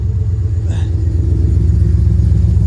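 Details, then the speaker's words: Chevrolet V8 (steering column and VATS security issue fixed, Escalade fuel pump fitted) idling with no catalytic converter, exhaust blowing out, no leaks; loud deep steady rumble with even beat, no knocks or misses; normal idle. "she's pretty loud I mean no catalytic regulator yeah that's kind of screwed up anyway"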